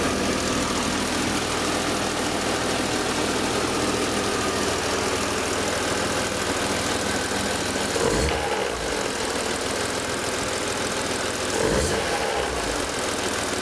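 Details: BMW M3 E36 S50B32 with VANOS, at idle: a steady idle with a busy metallic clatter on top and two brief dips in the sound. Abnormal idle noise, cause unclear.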